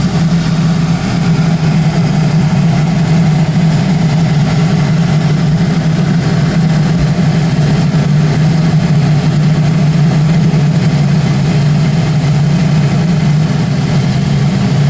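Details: Audi A4 B7 with K04 turbo and a swapped BWT engine, cold start: a steady low drone with an odd noise for about 60 seconds that then goes away. The previous engine never did this.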